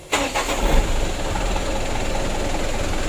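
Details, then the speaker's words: Mitsubishi Canter 136 PS HDL diesel truck, after fixing hard starting and diesel mixing into oil (plunger work), idle set 600–700 rpm: starter spins briefly, engine catches almost at once and settles into steady, even idle; normal easy start. "untuk hidupnya sudah lumayan bagus ya tidak sulit"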